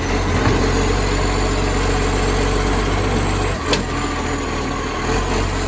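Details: Moreland garbage truck #FN11487, a spare 22m flat-faced Acco-cab diesel with a massive exhaust leak, recorded from the exhaust side at idle: deep, loud, raw roar and rough low rumble, much louder than normal.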